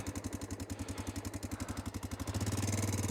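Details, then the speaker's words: Honda Dominator 650 motorcycle after a shop repair: fast even ticking clatter, about four a second, riding over the idle and rising with revs, a sewing-machine rattle; owner suspects the cam chain tensioner was never replaced and snaps back. "यह बिल्कुल वैसा ही है और यह उसी तरह से शुरू हुआ जैसे पूरे दिन वह पहले से ही खड़खड़ाहट की तरह थी"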